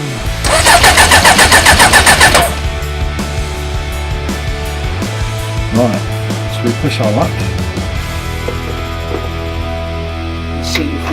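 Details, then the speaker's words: Suzuki GSX 600 motorcycle project after fitting a new switch: the starter churns steadily about four beats a second for two seconds, then it settles into a lumpy low run; hard starting, smoking possibly from WD-40 on the manifolds, with loose manifold bolts. "so she van gock she sounds brutal she was smoking a bit but I think that's because of the wd-40 from the manifolds"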